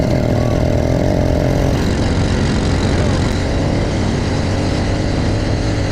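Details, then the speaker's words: New, not yet broken-in motorized bicycle two-stroke engine, stock carb and exhaust, test ride; raspy buzz under load with no real pull; owner suspects internal timing problem; poor running, low power. "Guys, so you saw it did not run well."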